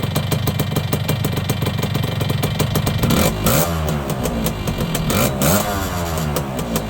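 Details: Yamaha YB100 two-stroke after fitting a new exhaust in place of the standard one: even popping at idle, then clean revs that rise and fall back smoothly with no misfire. Normal running.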